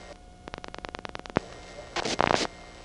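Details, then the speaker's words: GEdney 9 panel telephone exchange in Brooklyn, 1977: the district selector directed to group zero makes about ten sharp relay clicks, then a crackling static burst; the district makes extra static during revert pulsing, which is normal. "the district makes them extra static during the revert of pulsing as I said before"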